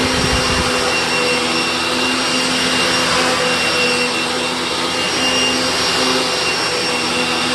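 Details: Riccar Simplicity upright vacuum after a new belt was fitted and its alignment adjusted so it hits nothing: a steady, even motor whine with airy rush and no slapping or thumping from the brush belt; normal running.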